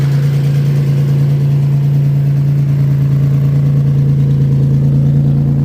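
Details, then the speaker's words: Maserati Biturbo first start with new custom 2.5" exhaust only tack-welded: loud, raspy blatting pulsing with each firing over a steady low engine drone, from leaking tack-welded joints; not the final sound. "So, most of the noise is actually coming from right in here. Right now, it's the exhaust leaks are so bad."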